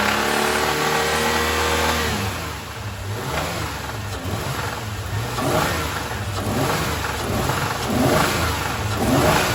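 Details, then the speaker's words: 2001 Isuzu Rodeo after engine fire, running: uneven revving with loose knocking about once a second plus muffler rattle; owner thinks not rod knock, suspects tensioner, unconfirmed. "it has a rattle in the muffler somewhere and it's knocking but it does not sound to me like a rod knock it sounds to me like tensioner"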